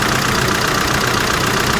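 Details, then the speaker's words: 2001 Saab 9-3 Turbo salvage car with oil pressure light on: loud, busy metallic rattle over a fast even idle, steady and not fading; possibly internal engine wear, cause unconfirmed. "what the hell's going on with the with the engine here guys or she is a rattler isn't it"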